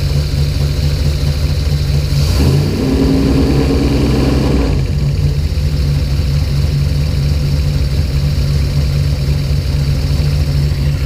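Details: Deep, uneven low rumble with one brief rev swell; the idle stumbles and never settles. Spark was restored by moving the coil wiring loom. Fuel pressure was 50 after prime and over 60 during prime. The engine sneezes fuel and runs really rich.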